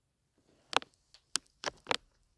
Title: My Switch 2 Dock Making Tapping Noise From Fan